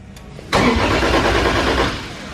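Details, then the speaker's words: 1.5JZ engine (JZ-series, displacement changed), first start after priming the fuel: strong, even cranking that kicks in sharply and holds steady, much healthier than the earlier slow cranking, indicating good compression. "that sounds good it sounds way healthier than that slow cranking one day that's good compression"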